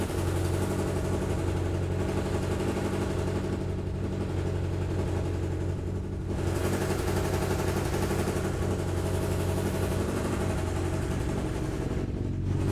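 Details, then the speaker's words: Suzuki Katana 1200 barn find stored 31 years, being recommissioned, warm at about 2000 rpm: lumpy idle with a low chuff and a stumble every few beats, seeming to run on three cylinders, plus an exhaust leak at a joint. "so we've got a bit of an exhaust leak you can actually see it a little piece of fluff that's wondering around that probably just wants to nip up and it sounds like it's on three a little bit to me"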